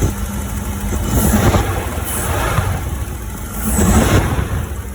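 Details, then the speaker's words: 1985 Porsche 928S V8 after replacing the fuel injectors, running with the air cleaner off. Touching an injector connector makes the idle rough, dipping and surging, before the engine dies. A loose injector connector is the cause. "And then it kills. So something's going on with this injector."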